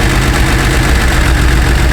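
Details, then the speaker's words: Porsche 911 SC Targa, parked about 8 years, not running on all cylinders: low, uneven loping idle that stumbles and won't settle, may drop to zero and stall until warmer; smells rich, high CO reading; injectors to be cleaned. "so that's a just an indication that um it's not burning the fuel properly no cuz it smells Rich it does and what still it's actually rich on this number here too"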